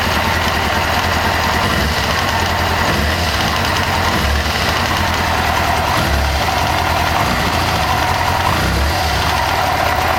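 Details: 1998 Kawasaki ZX6R after a valve adjustment, idling with a fast, light metallic ticking over the exhaust note. Owner says it is not from the cam chain area but seems to come from the rear, under the fuel tank.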